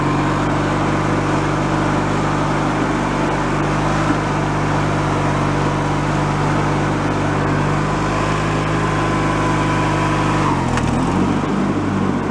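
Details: Free, previously derelict Craftsman riding mower, function check after electrical and safety-switch repairs with spindles checked not bent: steady, even engine drone with the deck spinning, no grinding or bearing whine. Deck fairly quiet, bearings not noisy, runs normally.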